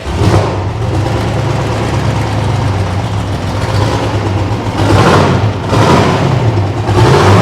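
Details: Detroit 6V53 two-stroke diesel with no muffler in a Kenworth/RFW 6x6 off-road garbage truck, restarted after earlier technical difficulties and at least four years sitting: fires readily into a deep, hard-edged drone with throttle blips; healthy start and run.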